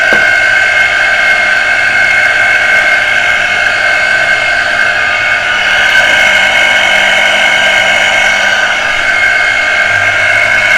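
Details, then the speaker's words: Water pressure pump motor that would not turn on and only hummed, run on the socket during service to clear jamming; loud steady hum with harsh high-pitched whine, motor starting to free up but bearing still stiff and noisy; nut would not open for full service. "क्योंकि बहुत ज्यादा जम हो गई है motor थोड़ा थोड़ा free होना शुरू हो गई है"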